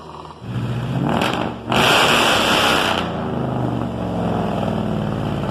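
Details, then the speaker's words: 1972 Dodge pickup with swapped Hemi V8 and FiTech, first drive at 55 mph pulling about 1500 rpm at light-load cruise: steady, even V8 drone under wind rush, no misses or knocks; normal highway cruise, running good. "hi we're driving at 55 trucks sounds good running good pulling about 1500 rpms no big deal"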